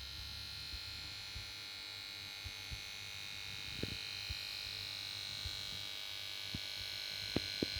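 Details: Samsung PS42A410C1XBT plasma TV: on standby it plays its switch-on melody, then a steady high-pitched whine and hum with scattered irregular ticks and clicks from the power board, no normal start-up; set won't start.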